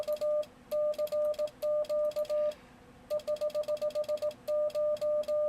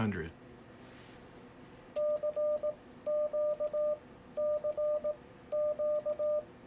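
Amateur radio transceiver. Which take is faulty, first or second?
first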